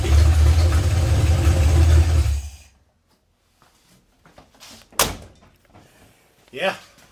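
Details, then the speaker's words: 1982 Ford F-350 with a carbureted 302 V8, turbo not yet fitted, loud on an early start; deep, even rumble for a few seconds before shutdown with no knocks or misses. Normal idle. "engine sounds really good so yeah now it just needs boost"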